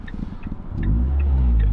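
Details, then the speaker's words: Ford Fiesta ST150, warmed up, after replacing a split PCV hose behind the intake manifold that caused a sticky idle: quick rev drops cleanly back to a smooth, steady idle with no hunting or surging. "so right now the cars warmed up a bit hey every single time I Rev comes back to our door where it should be"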